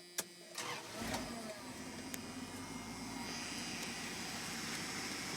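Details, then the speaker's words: 1991 Dodge Ram D150 pickup, catalytic converters cut off, two Flowmaster Super 40s dumped before the cab, running rich: starter cranks, engine fires into a raspy loud unmuffled idle; open exhaust. "It's got just garbage exhaust right now. I cut the catalytic converters off when I was in high school like an idiot. Now it runs pig rich."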